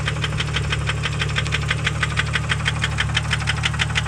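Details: 1998 Jeep Grand Cherokee Laredo 4.0 inline-six at idle: steady idle with a sharp, regular knock about three times a second over low engine hum; persistent internal engine knock.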